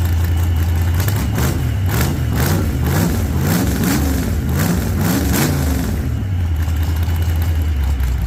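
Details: 1948 Chevy Fleetline small-block V8 (4-speed), started after sitting a while and a motor repair, slightly rich from heavy throttle pumping: deep, lumpy idle climbs through a few quick blips and drops back to a steady idle. Runs fine.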